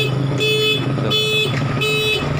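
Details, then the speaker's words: Motorcycle with an anti-theft button switched on: forcing the ignition key sets off a loud two-tone alarm pulsing every third of a second, and the engine will not start, though the starter is normal with it off. "the alarm will turn on, when the ignition key is forced to use what kind of language it is Key T Yes, like this, it turns out that it sounds like this, it doesn't even start, yes, friends, it doesn't work"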